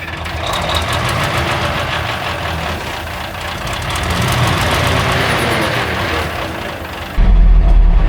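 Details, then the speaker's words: 1960s military crane diesel, 81 original hours, long sitting, cranked with starting fluid: starter turns it over about four beats a second for a long spell before it finally catches; slow to pick up fuel, extended cranking. "Gino's still giving her the sauce. Not picking up fuel yet."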